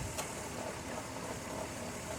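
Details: 2002 minivan restarted after adding refrigerant oil with dye to the A/C, which was suspected to be low on oil; steady idle with a smooth compressor hum and no knocking, grinding or squeal, so the compressor sounds normal.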